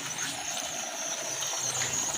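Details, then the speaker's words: 7 L manual engine-oil fluid extractor pump: a thin steady high hiss as the pump is worked, air drawn in at the top of the tank where it should seal; vacuum leak. "Ada bunyi leaking dekat area sini. Okey dengar dengar bunyi ling angin masuk. Sepatutnya kalau kedap udara dia takkan bunyi macam ni."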